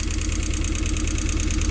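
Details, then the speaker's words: Rover engine in an MG, first run after no-start diagnosis, idling with some smoke: lumpy, uneven pulse about eight beats a second; owner suspects a misfire, possibly running on three cylinders, cause not confirmed. "it's running kind of [Music] now you'll know better than me does that sound normal is that rover might be a misfire i might be running on three cylinders here but it's rolling with some smoke"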